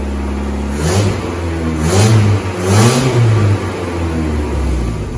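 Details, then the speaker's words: 1988 VW Polo MK2 Breadvan, refitted cleaned carburettor, cold start still on choke: revs surge and sag three times then die, stalling; something still not right, cause not yet found. "But now it's gone and stalled, so there's something slightly up."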